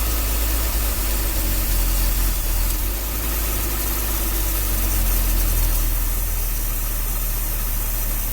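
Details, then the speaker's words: 1966 Dodge A100 van, 225 cubic inch slant six, after a long sit, with an ignition jumper wire: a steady, even low idle with a smooth beat and no knocks. Normal idle; the accelerator pump is probably worn. "actually sounds pretty darn good can't run it too long"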